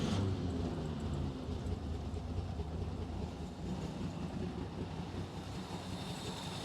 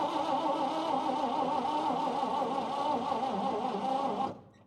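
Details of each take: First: 1953 Chevy 3100 half-ton with 235 six-cylinder and 4-speed manual, revived after years sitting on a farm: steady low, slightly uneven rumble with no knocks; fuel leaking and carburetor problems, but it runs normally. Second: 1953 Chevy 3100 truck, 235 six-cylinder, 4-speed, long-sat farm truck on fresh battery cables: steady starter cranking about four seconds, even churn, no firing; dwell test shows no dwell at the points, so no spark, won't start.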